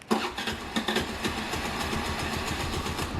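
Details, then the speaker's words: Bike or scooter with a newly fitted Autofy anti-theft alarm, started by double-pressing the remote. Starter whirr and a couple of catches, then a steady, even idle. Normal engine start. "വണ്ടി സ്റ്റാർട്ടായിട്ടുണ്ടാകുന്നുണ്ട്, നിങ്ങൾ കാണുന്നുണ്ടോ, ഹെഡ്ലൈറ്റൊക്കെ കത്തുന്നുണ്ട്."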